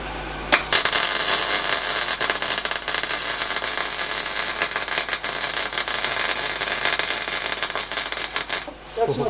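A dense, steady frying crackle runs for about eight seconds, then stops cleanly; a normal, well-running MIG weld.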